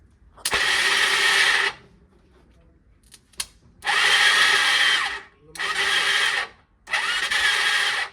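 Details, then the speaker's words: Old Bajaj Pulsar with substitute intake manifold fitted: three one-second bursts of smooth, high whirring with no cranking thumps or firing; starter spins freely, its clutch (magnet) not engaging. "इससे मुझे लग रहा है कि ना जैसे जो starter है ना व एंगेज ढंग से नहीं हो पा रहा है"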